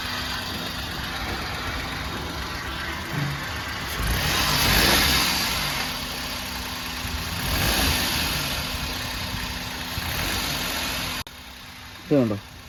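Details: 2013 Maruti Alto 800, engine idling: steady rough whirring rattle rising and falling from the engine side, goes away when clutch pedal is pressed; oil has contaminated the clutch; fix: clutch assembly, release bearing, input and axle oil seals replaced.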